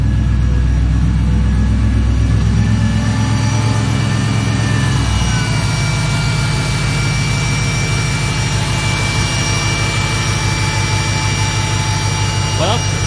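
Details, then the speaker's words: Mercedes-Benz W210 E55 AMG with 200K miles, idling after replacing the idler pulley; a steady, even engine hum with no whine or chirp from the belt drive, suggesting the whining noise was the idler pulley. "I'm happy to report it sounds like I think it fixed it so it was just that idler pulley all along"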